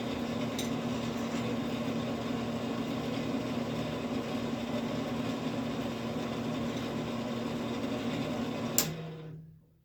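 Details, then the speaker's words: Camp Chef SE pellet smoker auger motor after rain got pellets wet and jammed it, cotter pin reinstalled: steady motor hum with low drone, then cuts off; noisy auger, cause unclear. "I don't know why it's being so noisy. Let me see. Let's see if we can turn it on."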